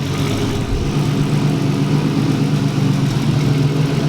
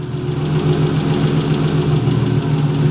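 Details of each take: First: 240 restarted after a destroyed clutch throw-out bearing was replaced and an oil change, owner fearing a blown engine: steady, even idle with a smooth low drone, no ticking; the earlier noise is gone, normal idle. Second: Manual-transmission car just reassembled after teardown for a gnarly noise when pulling off in gear: idle with steady low drone and faint uneven tapping, about three to four knocks a second; noise returned, cause unconfirmed.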